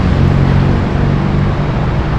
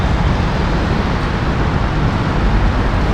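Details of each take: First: Suzuki Burgman scooter with hard starting, during manual throttle position sensor calibration: steady raised drone holding one pitch without hunting. The idle is far too high. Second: Suzuki Burgman scooter with hard starting, after manual throttle position sensor calibration without a diagnostic tool (TPS angle had been too high): even, fairly fast idle, steady, no stumbling or misfire; idle expected to drop automatically as it settles.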